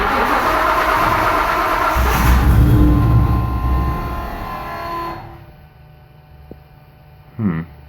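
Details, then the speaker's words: 1999 Nissan Frontier SE, turbocharged VG33E 4x4, on its first decent start after repeated stalls: the engine catches and revs loudly, then sags unevenly instead of settling. An unstable idle; the cause is not yet known, though oil pressure is good. "Alright, there's the first decent start."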